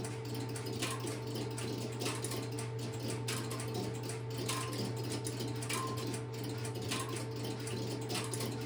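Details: Stromberg Carlson X-Y telephone switch, camera at the equipment, after a call is placed: steady low hum with faint evenly repeating ticking as the interrupter starts and runs; normal.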